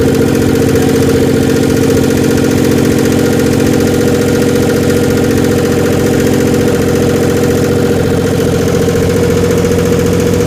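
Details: Dodge Stealth twin turbo, back to life, idling with heavy carbon smoke: steady idle with a fast, light tick about three times a second over the engine; lifter tick.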